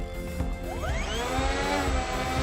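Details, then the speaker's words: New 55in EPO foam Cessna 182 RC plane on a 3S 2200mAh battery, after power loss about 4 minutes into its maiden flight: the motor whine sweeps up, then wavers instead of holding steady. Owner suspects the battery is too small; not confirmed. "yeah you can hear that it was just coming up and down up and down i don't know what the deal is maybe it just needs like a larger battery"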